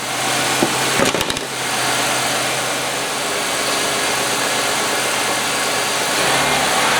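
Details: 1995 Oldsmobile 88 3800 Series II after fixing a no-fuel-delivery crank no start: steady even idle hum with hiss, no stumbles or knocks; normal idle.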